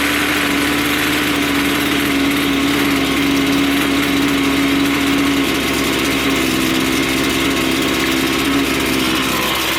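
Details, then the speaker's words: Two-stroke line trimmer after carburetor low-speed adjustment, with the screw backed off until the head stopped spinning at idle; it holds a steady, even idle with no hunting or bogging and runs smoothly. "So now we've got that one there set on our low. Everything's idling nicely. Once we start the unit, it's nice and smooth. It doesn't want to bump up and down. You can't hear it wanting to bog out."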